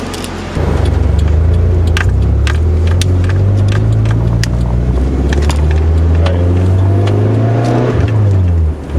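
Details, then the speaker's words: Stock Nissan 240SX (KA engine) that popped in the exhaust between shifts above ~3000–4000 rpm when cold; after replacing the coolant temperature sensor it pulls cleanly on a test drive with no pops (one pop heard later). "no pops hey we fixed it"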